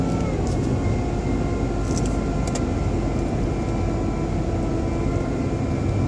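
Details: BMW 120i E87 running: faint constant high motor-like whine over the engine hum, seemingly from behind the airbox; oil change did not cure it, cause unknown.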